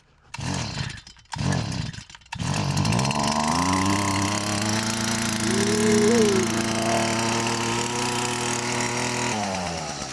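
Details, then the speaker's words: Stihl FS 38 two-stroke trimmer that wouldn't start, suspected flooded or bad spark plug; after choke and five primer pumps, two pulls, then it catches, gains compression, and settles into a steady even buzz, running normally. "And now hopefully this actually starts it. Yep. So, I'm already getting compression whereas before I wasn't."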